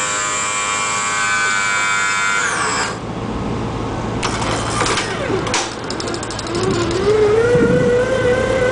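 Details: 1995 E350 handicap van (called Ford and Dodge), 5.8 L gas, 108,000 miles: wheelchair lift motor steady whine dipping under load then rising; lift sometimes chugs but works fine, lifts 260 lb person.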